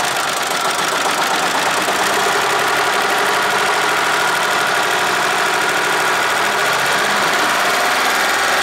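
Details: Deutz 3-cylinder diesel, previously hard-starting early mornings, running after a gravity-fed fuel tank modification: steady even clatter at constant pace with no misses or stumbles; normal running.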